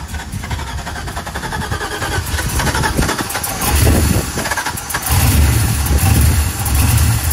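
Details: 1985 Camaro Z28 with LS swap and 5-speed, first start: V8 catches and settles into a lumpy, uneven idle with rising bass pulses as it warms while the ECU learns; normal idle.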